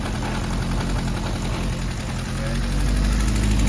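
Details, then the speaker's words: 1978 Honda CB550K after restoration, carbs with 110 main jets and 42 pilots: revs and runs okay but hangs up, and dies when turned down to idle; rough, unstable idle that creeps upward. Owner suspects carbs out of adjustment and out of sync. "if I rev it up it'll hang up seems like it's running okay see yeah see if you pull it if you turn it down to where the idle takes effect it dies so it's like it's out of adjustment it's acting like it's not in sync"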